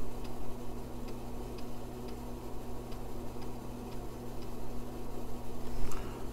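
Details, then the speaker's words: 40 MHz 386 build, IDE hard drive formatting after fdisk partitioning: low steady hum with scattered light seek ticks, no grinding or repeating click loops, much quicker than an MFM drive; normal drive operation. "with format what compared to the MFM drive I was mucking with earlier these ID drives are substantially quicker"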